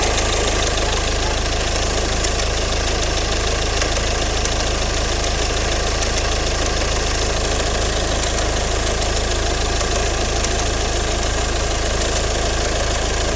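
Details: Ford 2.0 Duratorq TDCi 136 PS (DW10 G6DD) diesel at idle: steady idle with even knock about three per second; cause given as stretched inter-shaft chain.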